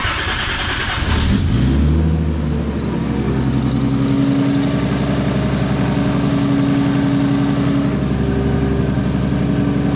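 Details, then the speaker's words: 2JZ-swapped Chevelle after a blown engine, restarted after the cam timing was reset to top dead center: catches after a brief crank and settles into a steady, smooth, even idle with no knocking; apparently a timing issue, normal idle. "so here it runs again what I changed or what I did I don't know it was a timing thing of some sort but it runs"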